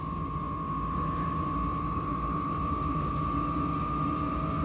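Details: Vevor 8kW diesel heater, tank removed and fed from a 25-litre drum, turned up to setting 7: steady fan whir with constant high tone and even combustion roar, no surging or knocking; running normally.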